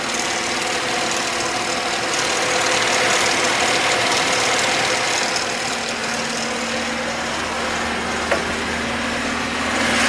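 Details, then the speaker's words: VAZ (Lada) petrol engine, fully cold after choke-assisted start, idling with a light, fairly regular knock from the front, possibly the top; owner suspected valves (seems to fade when warm) or the oil pump drive shaft, found loose auxiliary shaft pulley. "Двигатель не прогрет, но вот сейчас этот стук явно слышен. Может быть клапан, потому что когда прогревается, вроде бы проходит. Но может быть и кабанчик, я покажу, в чем проблема."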